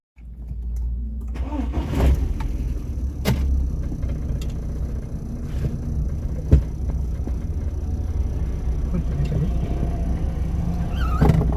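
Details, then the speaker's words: VW Golf Mk1 with freshly built engine, first start after two months parked: catches quickly and settles into low, steady idle at 900 rpm with no knocks or misses; healthy, even. "It's idling steady. 900 RPM. Let's go."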